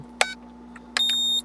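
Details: U818A-1 quadcopter's controller: a short chirp, then a brief double beep and a longer high beep, the normal tones when adjusting trim.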